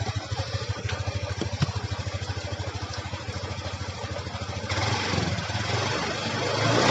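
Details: Honda Beat scooter: smooth at idle, then revved hard with the rear brake held; under that load a loose, wobbling pulley shaft knocks with a kletek rattle.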